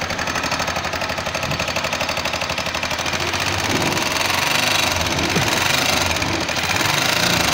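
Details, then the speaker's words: CMG motor tricycle engine: rapid metallic knocking about four a second from the magneto/electrical cover side, louder as throttle opens, reducing power and speed; caused by the timing gear, with an oversized bush at its pin. "صوت كركبة جامد طالع من الموتور، وبالتحديد من ناحية دش الكهرباء."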